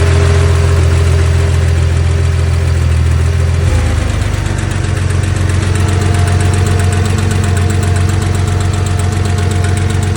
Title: Porsche 911 engine tapping/ticking noise - 2.4 MFI